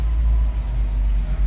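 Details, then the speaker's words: GMC truck with big six engine, first start after sitting 8 years: deep, steady, even rumble with no knocks or misses; normal running. "all righty eight years all this dust all this time let's see if she'll uh woo that sounded fresh didn't it"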